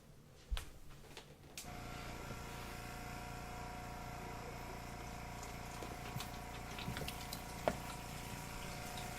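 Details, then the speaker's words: Dorm washer filling through the wash water inlet from a DIY tank that an air compressor pressurizes: steady, unbroken hiss and rush of water into the tub, filling normally. "don't know if you can hear that, but that's the sound of it filling up with water."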